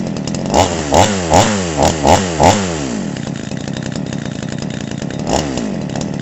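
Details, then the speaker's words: Chinese 52cc two-stroke chainsaw with AF intake, first start; hard-used with a grooved crankshaft and mixture screws set well out. Six quick throttle blips rev up and drop back cleanly, then a steady idle; it accelerates properly and sounds healthy. "but that sounds sounds better than i thought it would"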